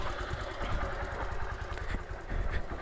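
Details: Honda Titan 150 motorcycle, noise persisting after clutch bearing work and a new Metal Leve cylinder sleeve: low uneven single-cylinder idle with faint irregular ticking; internal mechanical noise, cause still unclear.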